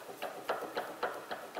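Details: Front suspension, sway bar link rocked by hand: light sharp clicks about four a second show a worn, loose sway bar link joint, a common cause of front-end rattles; the fix is replacing the links.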